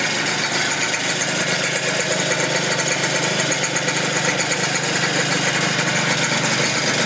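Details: 120cc stroker Honda Elite two-stroke scooter during tuning: buzzy idle with an uneven, burbling, stumbling beat; suspected running very rich or a fouled plug.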